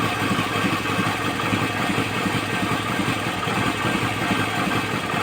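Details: Second-gen Toyota Camry petrol engine idling with a stumbling, lumpy misfire on cylinders 2 and 3 after coil replacement; compression under 100 psi, and radiator bubbling points to a blown head gasket.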